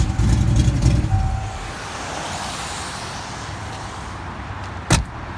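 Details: Fox-body Ford V8 revving briefly then settling, with a faint uneven tapping; owner unsure whether it is rod knock or lifters, unconfirmed.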